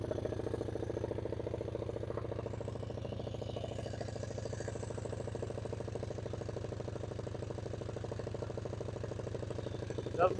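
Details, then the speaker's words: Suzuki LT160 quad bike, single-cylinder, sitting 3 years, after carburettor fix and tightening, running without air filter; even, steady low putter with no hunting or racing, idling lower than before and really smooth: normal idle. "that sounds good you know why this camera isn't posted sorry guys that actually sounds really really smooth"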